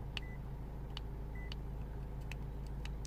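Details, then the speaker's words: 2008 Lexus IS220d diesel, after finding a blown fuse on the rail tied to the battery charging system: two short high chirps about a second apart, dash still warning key not detected, cause not yet found. "actually it doesn't it's still saying key is now detected okay so a problem for later"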